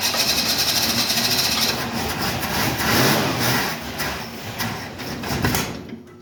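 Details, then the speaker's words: 1968 Ford Mustang on a nearly flat, briefly trickle-charged battery: rough cranking with a few ragged catches that fade instead of settling to idle; owner suspects no gas in the lines, unsure whether the fuel pump is pumping. "Got no gas in the lines, I think is the problem here."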